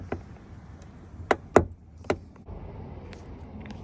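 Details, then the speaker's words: 2014 European Tesla Model S: sharp, dry pops and cracks as the door swings open, from the upper door hinge. "Um when you are opening this door it makes the popping noise. I will post a video uh to demonstrate what kind of noise it makes. It looks like you are opening some old car door."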